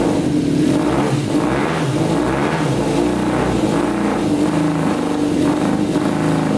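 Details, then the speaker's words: Custom 100 hp Yamaha Banshee two-stroke quad, first start with the fuel flowing through the filter: uneven, lumpy, pulsing revs like some cylinders aren't firing. The owner suspects the two middle carburetors aren't getting gas, possibly stuck needles, and plans a carb cleaning. "all right you can hear it running for a little bit but i think we should probably clean out the carburetors just to play it safe we're having a problem with the two middle ones obviously i think they're not getting gas"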